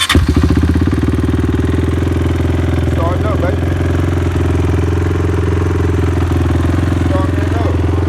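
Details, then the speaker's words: Honda TRX450ER ATV fixed after shutting off and cranking without starting. A failed Dynatek coil was replaced with a new coil. It fires instantly on a light press and settles into a steady, even single-cylinder thump: healthy start and idle. "clutch band start up on a dime keep it up all you do is tap you ain't gotta hit it hard just tap"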